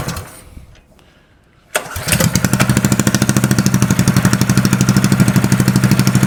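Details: Custom Ed Roth-inspired mini bike trike, small engine, first test start with choke lever cut off: catches on first pull and settles into steady even putter about three beats a second; runs healthy.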